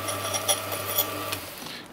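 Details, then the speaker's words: Restored Silca semi-auto key machine cutting a key with a freshly fitted sharp cutter: quiet steady motor hum with light cutting ticks, then wind-down; cuts smoothly with no grinding or rattle, though slightly out of calibration and cutting deep. "very nice cuts very silently it's a little bit out of calibration i can definitely tell there it's a little bit deep on this but as far as making the noise of key machine that does not make any noise that cutter is super sharp that sounds beautiful"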